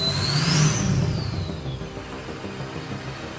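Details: Diesel in a long-abandoned Ford F550 revs with a clear turbo whistle climbing high, then falls back to a smooth, even idle, after replacing the lift pump and cleaning the harness; normal revving with turbo spool.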